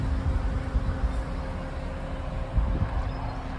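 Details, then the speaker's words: Ford FG XR6 ex-police car, naturally aspirated with a 5-speed auto, on its fairly standard exhaust before a new exhaust is fitted, recorded outdoors. The idle is a low, even burble with a soft steady drone and no knocks or misses; normal idle. "The exhaust is fairly standard, so it doesn't sound too loud."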